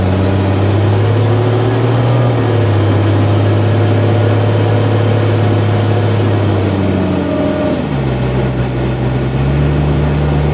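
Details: 1992 Jeep Cherokee with A/C on: an intermittent whine at low rpm or after a quick rev drop, stopping when the A/C is cycled. Attributed to an overcharged system letting liquid refrigerant into the compressor.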